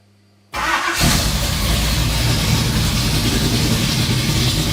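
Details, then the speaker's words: Vintage Ford highboy truck after new main and rod bearings, with headers and new chambered muffler, idling in shop: deep, loud, throaty rumble, louder than old packed Flowmaster; owner suspects cam profile and/or headers. "Prett loud so yeah really loud like I can't even hardly hear myself talking here of course we're in the shop so that's going to make it worse"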